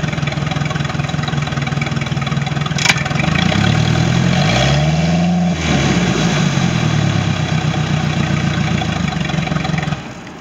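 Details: Sea Ray boat with a MerCruiser 3.0 L sterndrive engine, final running test after no-start issues: steady idle, one smooth rev climbing and falling cleanly, then even idle again, running normally.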